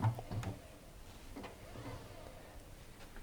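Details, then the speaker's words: Washing machine with virtually brand-new drum bearings, drum spun by hand: almost silent with only a soft swish and light handling knocks, unlike the grinding of worn bearings. "you can hear that it's virtually silent. So that would be the first indicator of worn bearings."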